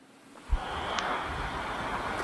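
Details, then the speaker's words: MSI GT735 retro gaming laptop from 2008 (AMD CPU, Radeon GPU), CPU overclocked via Turbo from 2.1 GHz to about 2.7 GHz, running hotter: the cooling fan roars loudly through the vent grilles under full load, a steady airy rush with a faint high whistle. "wydaje z siebie dość potężny Ryk samych tutaj finów tych kratek wentylatora Zresztą Posłuchajcie sami jak on wyje pod pełnym obciążeniem kiedy jest właśnie"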